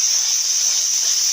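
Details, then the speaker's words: Bench air test of a normally open solenoid from a 1996 Jeep Cherokee 4.0 petrol A340 (AW4) automatic, unpowered; steady high hiss of air flowing freely through the valve with nothing underneath, as expected. "These two are normally open, which means when the pressure's going through it, which in this case, just for testing, is air, the air will be passing through."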